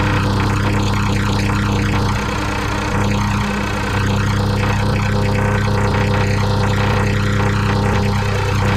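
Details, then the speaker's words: Tecumseh mower engine, reassembled with a known bad, too-loose connecting rod and a bad crank, idling: steady rapid knocking about three per second over a low drone; loose connecting rod knock. "I think that knocking is that connecting rod. Yeah, you hear that talking? That ain't going to last long. That connection rod too loose."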